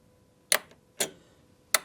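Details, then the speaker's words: 2003 Polaris Sportsman 600 solenoid wired straight to battery positive for testing: three crisp clicks as it snaps in each time it is energized, checking for a bad solenoid or bad ground; clicking alone doesn't prove it works. "You hear that? That's that solenoid clicking in. So, we should have 12 volts over here now."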